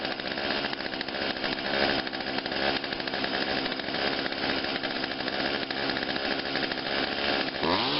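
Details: Craftsman 16-inch chainsaw made by Poulan, after coil cleaning and adjustment, carb cleaning and adjustment, dead cold next day on choke: steady buzzing two-stroke note holding even revs, no misfire or surging; saw runs healthy.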